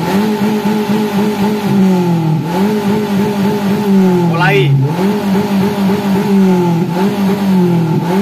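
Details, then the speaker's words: Daihatsu Gran Max held at high revs: strained, uneven, pitch sagging and surging every couple of seconds; clogged catalytic converter. "Semoga saja, gejalanya cukup parah hingga membuat knalpot bergetar. Seolah-olah knalpotnya akan lepas."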